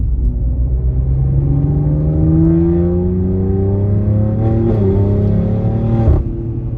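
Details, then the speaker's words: Tuned BMW X3 M with ECU and TCU tune, straight-piped, exhaust valves on OEM control opening at a certain rpm under acceleration: deep, loud drone climbing in pitch as revs build, opening up further higher up; healthy exhaust. "You can hear it start to crack, and like, you'll hear it in a second. I'm gonna do it now. It sounds so good. It's loud as fuck, but it sounds good, which is the big difference."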